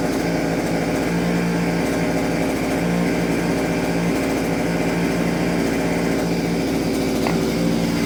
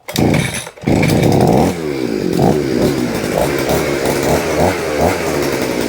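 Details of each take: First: Vevor 6-in-1 multi-tool two-stroke with hedge trimmer attachment, blades had stopped after hitting metal; after the gear was freed it holds a steady, even buzz with no knocks or rattles, working normally. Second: Vevor two-stroke hedge trimmer, first cold start of the day on choke, throttle applied; engine revs and holds a buzzy high pitch with no blade chatter while the blades will not move, seemingly stuck: blades not moving.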